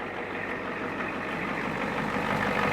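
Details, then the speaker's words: 1989 Ford F250 with the 7.3 IDI diesel, started after sitting a week: an even diesel clatter at constant speed with no stumbles or odd knocks. Idling smoothly and healthy. "Start this bad boy up. Let her run for a second, just because I love to hear it."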